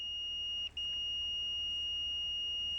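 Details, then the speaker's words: Expensive Fluke meter continuity beep-test, automotive fuse testing via decade box: a steady high beep drops out briefly at around 60-80 ohms. These are intermittent skips; a pulsing beep does not mean a fuse is good. "How often have you heard a mechanic in a YouTube video testing a fuse where it's beeping like this? Intermittent pulsing."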